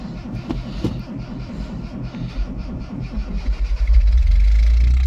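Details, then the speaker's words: "Rescue" Tercel wagon (1983) cold start at about -6°F wind chill after sitting a couple of weeks; cranking chuffs catch into a steady, rough-edged, tractor-like low idle with no knocks; normal cold start and idle. "actually I'm really impressed with all of them because the rescue turcell is always kind of a little stubborn anyway so the fact that it started that good actually makes me pretty happy sounds like a little tractor it's pretty funny"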